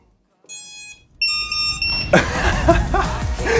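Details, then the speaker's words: Newly built DIY FPV drone at first power-up on battery: a short run of clear, high electronic tones, the ESC's normal startup beeps, with receiver, flight controller and GPS lights all on. "The receiver's got lights. Flight controller has lights. And we got the beep from the ESC."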